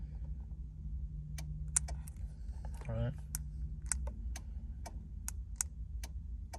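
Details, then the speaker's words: Compstar remote start module, newly installed, relay clicking sharply about three times a second on its own after only three button presses while programming the runtime in menu 2; it starts flashing by itself, cause unknown. "you hear that clicking so i can only press the button three times and then it's gonna start you know clicking by itself"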